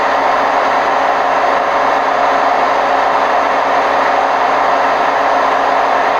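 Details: Hotpoint WMF760 washing machine on spin program, May 2018: constant loud rushing roar at high spin speed with no letup in level, from worn drum bearings.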